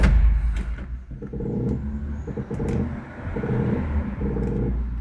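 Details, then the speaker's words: Honda Fit (2004–2008), engine off: short repeated creaking groans each time steering wheel is turned; front strut top mount (coxim do amortecedor) creaking, sprayed with liquid vaseline as a test. "Ó, o problema tá aqui, ó, no coxim desse amortecedor aqui do dianteiro."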